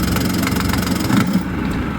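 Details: Used Boston Whaler outboard, started at launch after preparations and a full tank of gas. It fires and holds a steady, even running note with no knocks or misses; sounds healthy.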